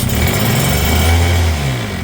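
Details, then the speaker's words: Small JLO two-stroke bench engine from auction, fuel tap on, throttle full, running on test petrol with a little oil, air cleaner cover missing: catches on first pull with a short rough burst that sags and dies within seconds; carb suspected. "Oh, we had life on the first pull. We did, we had life on the first pull."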